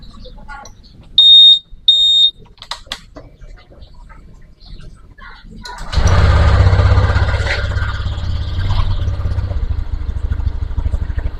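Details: Honda Vario 150 with intermittent starter, only relay clicking, after wiring rejoined and taped: two short relay clicks, then the engine catches around six seconds and settles into a steady, even idle with traffic noise; normal start.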